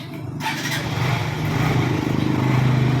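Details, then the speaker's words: Honda NS150 motorcycle after repair (new cylinder head, blocked oil passage fixed; connecting rod checked, still good): engine starts and settles into steady, quiet idle with no ticking, previous noise gone. "maganda pa kahimig pa walang tama yung conrad"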